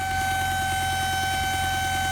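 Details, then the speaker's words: Supercharged car at idle: sharp constant high-pitched squeal over the engine, audible in cabin and outside; first suspected crankcase breather, which turned out not to be the cause. "mega wkurzająca nie da się z tym jeździć nie i nie da się z tym jeździć w kabinie to słychać na zewnątrz to słychać"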